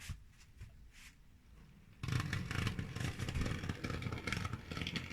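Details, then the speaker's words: Model railway loco pulling a heavy load forward: quiet hum, then rough clattery scraping drone that never smooths out as the motor labours; runs smoothly backwards on the level, struggles forward loaded; cause unknown. "It don't like it, does it? I don't get what's wrong with that. It runs nice and smoothly going backwards on the level. But as soon as I put it going forward with all the amount on the back, it doesn't seem to like it. And that sounds bloody awful."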